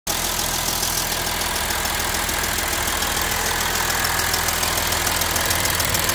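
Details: Audi A6 3.0 TDI diesel idling steadily, with a loud, sharp metallic tick about three to four times a second from the passenger side of the engine. The cause is still unknown.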